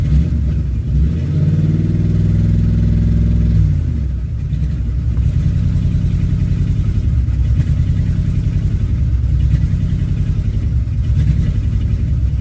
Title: 2005 Dodge Ram 1500 5.7 Hemi Rough idle